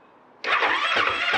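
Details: Husqvarna FE 501 in cold conditions below 20°C, cold start button pushed, on its stock underrated battery: the starter labours through slow surges without catching; the battery lacks cold cranking amps for a brisk crank.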